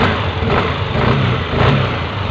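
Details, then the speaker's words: Yamaha Aerox scooter after repair of a "cetok-cetok" clicking noise from the CVT area on initial throttle: revving gives a steady, even drone with no clicking or belt-drive rattle; the noise is gone, normal CVT running. "sudah beres untuk aerox dan penyakit Nah sudah hilang untuk suara bunyinya itu"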